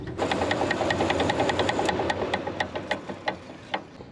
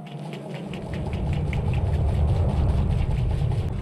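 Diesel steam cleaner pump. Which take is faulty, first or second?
first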